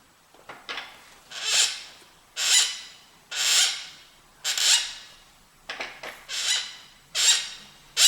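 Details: TSDZ2 e-bike mid-drive motor after 7,678 km (4,770 mi) suddenly developed a hissy, high-pitched squeak-creak repeating about once a second; disassembly revealed several cracks in the torque sensor causing the noise.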